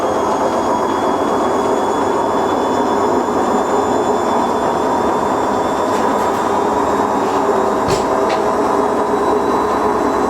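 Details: Siemens IQ300 washer dryer on a wool cycle with a pillow, during spin: loud, steady, even roar through the whole spin with no knocks; loud rumbling, owner suspects bearings, not confirmed.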